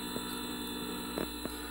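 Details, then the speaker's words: Currie Electro Drive brushless e-bike hub motor rebuilt after 3 of 4 rotor magnets detached: spinning unloaded on the bench, quiet steady electric hum with a few faint ticks; normal no-load running. "hopefully it'll work well that sounds a lot better than it did before she lamps not really sure the no load currents meant to be on this as I've never run it no load"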